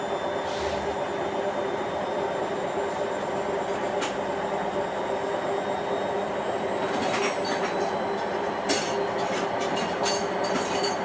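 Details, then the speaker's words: Hotpoint WMA40 washing machine on a 60 wash, rinse and spin, before the fast spin: a steady roaring drone with a hum on top; drum bearings already audibly rumbling but the machine still handles it. "so that isn't the fast spin and it already sounds a bit bearingy there yeah i can hear those bearings in it"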